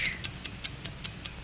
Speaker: an accurate watch ticks five times each second like the engines of airplane and motor car like the generator like the human heart